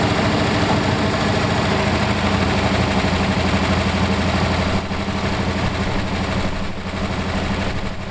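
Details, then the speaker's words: 1964 Ford F250 dump truck, sat over a decade, Motorcraft two-barrel carburetor tapped to free the needle and seat, choke pulled: low, lumpy V8 idle that sags and stalls; poor idle, likely carburetor fuelling. "oh sad now you killed it these carburetors suck"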